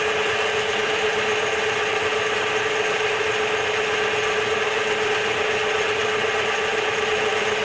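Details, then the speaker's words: Bench-top DIY CNC mill making its first facing cut on a small steel piece, 3-in-1 oil as lubricant; steady, even cutting hiss, constant mid-pitched tone, no chatter or knocks, facing cleanly. "almost halfway through the cut so far so good i don't see anything catastrophically wrong"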